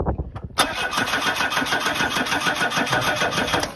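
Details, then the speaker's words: Ford Cortina, 33 years off the road and unstarted, cranking with brake cleaner added to the fuel: steady even cranking but never catches, no spark from the coil; plan is to try a spare coil from an old 1600 engine. "No spark. No spark. So I think we check. Should we check the leads first? No, cuz there's no spark from the coil."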